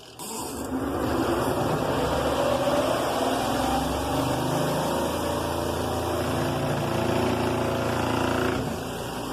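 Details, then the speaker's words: Zeny portable twin-tub washing machine, spinner side, 5-minute timer; motor winds up with a rising hum, a bit loud at first, then settles into a steady even spin with a light buzz. Normal spin-cycle startup. "Now you can tell it's going to probably start off a little loud, but then it's going to be perfectly fine to use."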